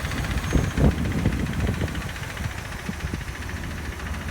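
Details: 2007 Dodge Ram 1500 Hemi V8, replacement engine with 68,000 miles installed 3 months ago, noise started a day earlier: uneven idle with low heavy knock about four times a second; technician suspects rod bearings or crankshaft, bottom-end knock.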